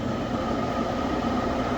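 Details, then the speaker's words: Gas furnace being checked for a no-heat pressure switch problem, startup: the inducer motor kicks on with a steady hum and a thin constant whine, no rattle or scrape; normal inducer operation. "So, let's turn on the furnace and see what's going to happen. So right now the inducer motor is kicking on."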